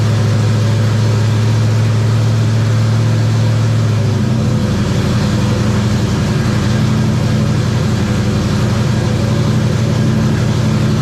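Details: Terry Labonte #94 Oldsmobile V8 after replacing bad plugs (one cracked porcelain, one near-zero gap) and bad wires: deep, steady idle picks up cleanly at about four seconds and holds an even, strong note with no misfire.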